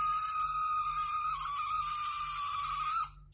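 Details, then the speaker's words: Small brushed DC motor running: a steady, high, thin whine with a buzzy edge. The cause is thought to be friction on the shaft from lack of lubrication. Proper lubrication should reduce the noise. "जो ये sound सुन रहे हो उसका भी reason वही है कि friction जो है हमारा, मतलब कि जो इस शाफ्ट पे जो घर्षण हो रहा है। अभी घर्षण का रीज़न तो यही है कि इसके अंदर मतलब ल्यूब्रिकेशन की ज़रूरत है।"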